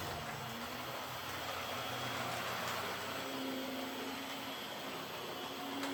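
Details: Old Hornby R751 Class 37 model locomotive after repair, with corroded wheels cleaned using a rotary brass brush: light, steady motor whir with an even hum and no grinding or stutter; runs smoothly.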